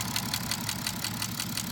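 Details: BMW F10 535d diesel, before repair: idle with a fast, sharp metallic ticking over the diesel clatter, heard from the rear of the engine and noticeable at lower rpm; valve train noise.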